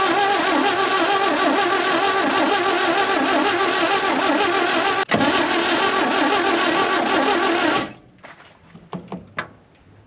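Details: 1960 Chevrolet Bel Air off the road about 45 years, fuel fed from a boat tank through the original mechanical pump: starter cranks steadily at about three and a half turns a second for eight seconds without catching; old pump fails and is replaced.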